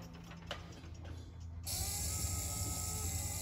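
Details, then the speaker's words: 1964–66 Ford Thunderbird convertible rear quarter power window regulator after spring removal/reassembly, bench-run in vise on power leads: few light clicks then smooth steady motor hum, no spring noise; operating normally. "[Music] i don't hear the spring at all only the motor i like that i like that a lot very good customer will be happy"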